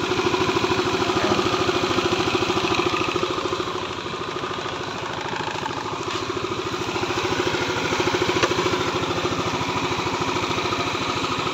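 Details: Yamaha Aerox 155 scooter that would not start, fixed by repairing its wiring harness: after repair the engine fires up and settles into a steady, even putter around 160 beats a minute with no misfire; normal idle.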